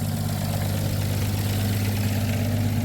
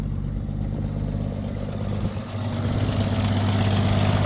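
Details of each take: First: 1962 International B150 farm truck, first start after sitting years, idling on temporary fuel: low heavy idle with a puffing chuff each firing pulse from an exhaust leak at the front; not smoking, smooth. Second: 1962 International B150 farm truck, first start after sitting years: low steady idle with even beat, no misses; runs smooth, not smoking, exhaust leak up front.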